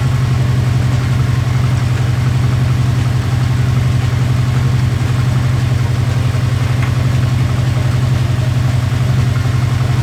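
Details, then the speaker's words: Subaru Impreza WRX rally car engine, taken from a crashed car and never run by the owner, on its first startup after a missing main relay was plugged in: a steady low idle with a smooth pulse and no knocks or rattles. Normal idle. "So I'm very happy. Fantastic result to have the engine fire up with no knocks and no rattles. And yes, that was a genuine first startup."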